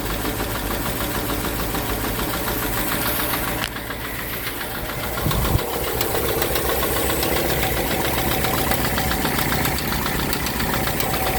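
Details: 1965 Ford Thunderbird V8, fully cold, at idle on a 75°F day, plug wires and cap confirmed correctly numbered: a quick light tick, about three to four per second, over an otherwise good-running idle. Source not yet pinned down.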